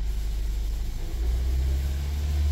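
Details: 2009 Toyota Prius 1.5 hybrid petrol engine starting with lumpy, rough rumble and rattling; P0304 misfire on cylinder 4, coil swap didn't move it, shorted spark plug and low compression found; fixed by replacing spark plugs.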